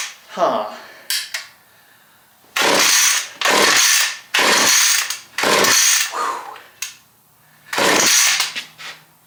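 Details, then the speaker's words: Stihl chainsaw, cranking no-start: five or six rope pulls, each a short whirr that dies without firing; compression good and spark present, so no fuel is getting through; carburetor later cleaned and readjusted. "Check the spark. We have spark, unfortunately. Uh it means we're not getting fuel."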